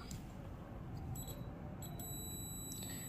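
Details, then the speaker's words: Water-damaged Samsung Galaxy Grand Prime Plus logic board, multimeter continuity test: steady, high beep on both battery positive and negative pins to ground, so the board is in full short. "பாசிட்டிவ்னு சொன்ன பின்லையும் beep sound வருது negative சொன்ன பின்லையும் beep sound வருது சரிங்களா so அப்ப எனக்கு ரெண்டு பின்லையும் beep sound வரதுனால என்னோட மொபைல் போன் வந்து ஃபுல் ஷார்ட்ல இருக்கு"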